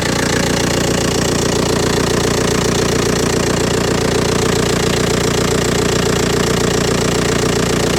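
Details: Old Audi A4 diesel idling after aux belt and tensioner replacement with Gates parts; steady even idle with usual light injector clatter at a regular beat, no squeal or rattle; running normally.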